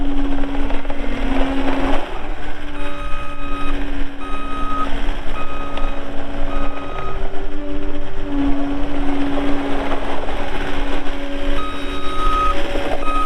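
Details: 2020 Caterpillar 259D3 skid steer loader, 1,484 hours, reversing; steady evenly spaced beeps over the diesel drone, backup alarm working as it should.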